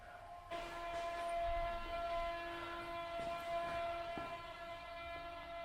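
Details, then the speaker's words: Tesla Model 3 parked and plugged in during an over-the-air update, ventilation off: steady high electric motor whine with overtones and brief dropouts, heard from both front and rear motors; owner guesses the update may be resetting wiper motors, cause unknown. "even though I'm plugged in I'm getting some noises from up here and I have heard that there is an update to the wipers on this one so maybe it's just kind of resetting those motors or something like that"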